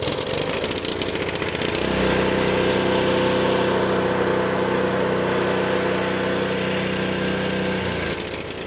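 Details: Honda HS520 snowblower 4-stroke after fuel starvation diagnosis, started on choke: small single-cylinder engine catches and settles into a steady even idle with no misses or surging; running normally.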